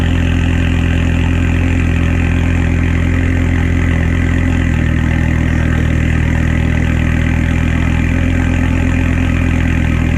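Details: 2006 Volvo S60R with a new custom stainless cat-back exhaust and temporary blast pipe, no tip yet: deep, loud, steady exhaust burble at idle with an even pulse and no ticks or rattles. Normal idle.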